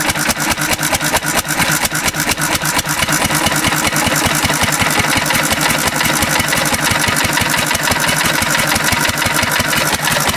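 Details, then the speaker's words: 1950s Cushman Cub one-cylinder four-stroke governed stationary engine, fuel becoming almost pure 91% rubbing alcohol: fast uneven labored firing; engine struggling. "yeah it's starting to struggle yeah not happy with this decision"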